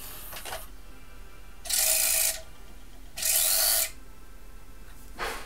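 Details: Sony CDP-X55ES CD player: harsh hissing whirr in short bursts each time the disc speeds up or slows down.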